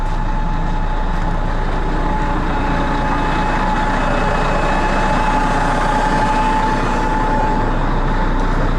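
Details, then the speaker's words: Cat diesel idling cold to warm up, loud and steady with a faint even whine as the hydraulic pump builds 300-plus PSI to charge the accumulators; it would howl louder in neutral; normal cold idle. "they can hear the pump pumping pressure but if it was in neutral it'd really be howling because it's trying to build 300 and some kids 300 and some PSI oil pressure"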